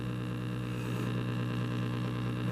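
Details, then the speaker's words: 1936 Zenith 6B129 shortwave radio: at switch-on, only a steady low mains-type hum under faint static, possibly the power-supply vibrator; no station received and the dial lamp does not glow. Owner wonders whether earlier modifications are to blame. "i'm getting stuff on the speaker some slight hums and whatnot sounds like the vibrator in the power supply which might be a thing but i'm not getting much other than static which is not good not really getting anything"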